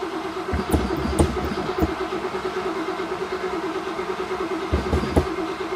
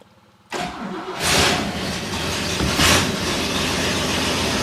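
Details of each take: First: 1963 Oldsmobile just converted from a leaky mechanical fuel pump to an electric pump (heard running): starter churns in uneven bursts and the engine cranks but won't start; the choke wasn't set, and it fired once set. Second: 1963 Oldsmobile, first start after replacing a leaky mechanical fuel pump with an electric one, choke set: catches at once, revs up twice briefly, then settles into a steady, even idle without stumbling; no leaks seen.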